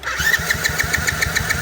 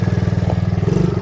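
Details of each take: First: Kayo small ATV that had been sitting, cranking with choke off: steady rapid chug about seven compressions a second, never catches; cranking no-start, suspected bad gas or gunky carb, spark believed present. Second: Small ATV that had been sitting and wouldn't stay running, now being ridden: even, quick beat of about eighteen firings a second, smooth and steady with no misses; normal running, driving pretty good.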